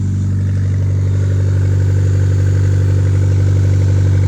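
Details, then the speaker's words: Honda Civic D-series engine, first start after a head gasket job with the exhaust refitted. Steady idle with a quick, even puffing tick about four times a second over the engine drone. Owner suspects a small exhaust leak, but it runs. "looks like there's a little exhaust leak but hey she's running"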